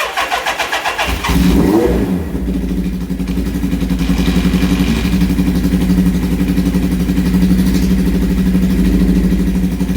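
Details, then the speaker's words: 1978 Suzuki GS1000 four-cylinder motorcycle, sat for many years, no exhaust baffles: very loud start and revs, then settling to a lumpy, uneven, chunky idle. "Alright, so as you can hear on the idle down, it is very chunky in here."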